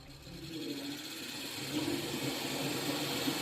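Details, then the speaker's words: BYD Qin with A/C cold mornings and evenings but not at midday; A/C on after repairing the cooling fan (worn-out carbon brushes): compressor hums with wavering tone and slight internal knocking, a slight abnormal noise from inside. "如果风扇坏了，你不修的话，这个压缩机容易坏。你听，现在压缩机有点异响，里面啊，"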